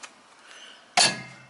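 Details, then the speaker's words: 1999 Wizard Plus 8209A99 lawn tractor after electric mower clutch reinstalled: single sharp metallic click at one second as clutch pulls in, then fading ring; blade now engaged, anti-backfire solenoid heard working; PTO clutch working normally. "Okay, so we're spinning freely. Engage the blade, and now we're not spinning freely, so it's working. I can hear the anti-backfire solenoid working in the engine too, so that's good."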